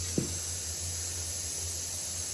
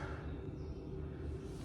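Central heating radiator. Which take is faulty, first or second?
first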